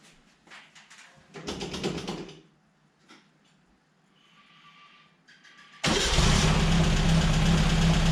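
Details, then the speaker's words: Air-cooled four-cylinder VW Baja after resetting the timing, gapping the spark plugs and pre-warming the intake manifold with a heater blanket: fires and settles into a steady, even idle with all four cylinders running okay. "Well, that doesn't sound too bad. Nice, even across all four. You can hear all four cylinders are running okay."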